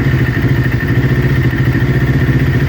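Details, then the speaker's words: Kawasaki Ninja twin, recently rebuilt, warm idle: uneven loping beat with occasional dropped pulses; bogs as it warms, and manifold temperatures show the right-hand (off-side) cylinder running 15–20 °C different, a misfire traced to a faulty ignition coil pack, replaced. "Our problem's on the right hand side, guys. I don't know if you saw that, but the right hand side cylinder is slowly starting to get a 15 to 20 degrees Celsius difference, and our problem is going to be on the right hand side cylinder."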